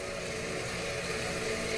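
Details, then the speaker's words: Septic system pump after a tripped breaker was reset: steady motor hum with faint tones near 500 Hz, pump running continuously while the alarm light stays on; fault beyond a wire, cause not evident by ear. "okay it's getting power but this light is on and I haven't muted from before so there is a problem besides the wire okay I think that's the problem you can hear it running but"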